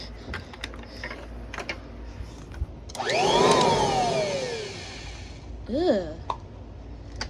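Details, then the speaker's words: Kirby Heritage II vacuum cleaner on a mattress, visibly bent part: motor whine swoops with pushes over a harsh rough edge, never sounded like that before; abnormal noise, owner suspects bearings, likely to worsen. "never sounded like that before I get that the bearings on this thing checked out that sounds absolutely horrible and like it's gonna get worse"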